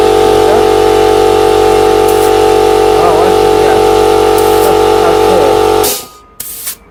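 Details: Air compressor running normally: steady buzzing drone with an even pulse of about four beats a second, then it cuts out and air hisses; it pumped up quickly and runs only warm.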